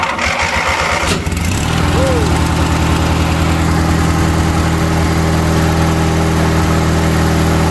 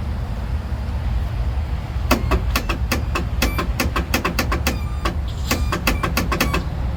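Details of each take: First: 20 hp Briggs engine on a mower that sat about five to eight years with a frozen deck: cranks, catches quickly, settles into a steady even run with no misses, shuts down cleanly; healthy. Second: Craftsman Turbo Twin 42-inch mower with 20 hp Briggs & Stratton opposed twin, sitting about five years, on a jumper pack: rapid dry clicks about four a second, engine never rotates. Won't crank.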